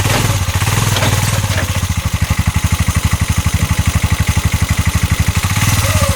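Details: 2022 Massimo T-Boss 750 EFI UTV, heard from the back driving forward: heavy rough evenly spaced thumping about four per second while pulling; CV axles and U-joint tight, knock source unknown.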